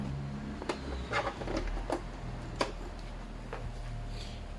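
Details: Epson L300 printer, owner-reported red error light (paper jam, faulty paper sensor) at power-on, after reassembly: quiet room, low hum and soft mechanical clicks and ticks as it cycles through startup toward steady green light; normal startup cycle.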